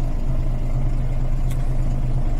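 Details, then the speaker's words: Bendix AD-2 air dryer on Volvo B10M diesel, idling about five minutes with no throttle after air system was fully emptied: low, even idle with steady beat and no hiss anywhere; air system holding, no air leak. "There is, I don't know if you can hear it or not, but no air leak."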